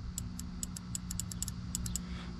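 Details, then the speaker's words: 2005 Scion tC 2.4 Toyota with a no-start: the starter relay is energized with a test probe across its contacts. Sharp irregular clicks repeat over a low hum, so the starter relay works normally. "I don't know if you can hear that so the starter relay is good"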